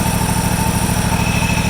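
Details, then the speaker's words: Deere GT235, 1200-hour air-cooled Kawasaki V-twin, governed idle after setting mixture, throttle stop and governed idle following carb work for repeat lean surge; steady, even low thump with regular firing, no hunting or surge. "So if I let go of that, it should spring back up to that 1550 plus or minus 50."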